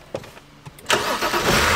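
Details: 2007 BMW 328i, N52 engine, after fixing a crank-no-start caused by a misaligned module connector with a bent pin, fuel pressure present on key cycle: a few light clicks, then clean start within a second into a steady even idle.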